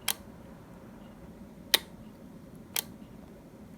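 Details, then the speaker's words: Four crisp single clicks about a second apart, clean with no buzz or crackle, from the lower switch of a three-gang household light switch being replaced; a normal switch click, while the top switch is suspected of poor contact. "If you look at the one below , you can hear a clicking sound"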